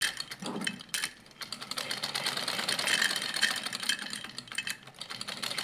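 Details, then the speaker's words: Sewing machine after loose nuts were tightened and partial oiling, oiling not yet complete: quick light needle-mechanism clatter, even running without heavy knocking or rattle. Formerly very noisy and vibrating, now much quieter; normal running. "देखें कितनी इसकी आवाज़ कम हो गई है, कितनी इसकी आवाज़ कम हो गई है, बहुत ज़्यादा इसकी आवाज़ थी। अभी मैंने इसको कंप्लीट ऑयलिंग नहीं की है तो माशाल्लाह से ये इतना इसका जो नॉइज़ है ना वो कम हो गया।"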